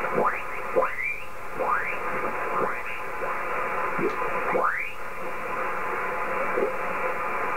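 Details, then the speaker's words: HF amateur radio receiver tuned near 1871 kHz on 160 m: constant hiss with repeated sweeping whistles drowning the band; strong interference, attributed to nearby power lines. "they're at 1871 and I've got this noise from the powerlines hear that"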